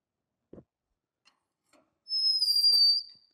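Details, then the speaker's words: Lucas horizontal boring mill, hand-turned Morse taper No. 5 reamer with tailstock pressure and oil; a sharp high squeal of about a second at the start where it wasn't cutting evenly, easing as it cut deeper. "When we first started, we were getting that kind of squeaking sound. That was where it wasn't cutting evenly, but as we went a little deeper, it's cutting deeper and deeper."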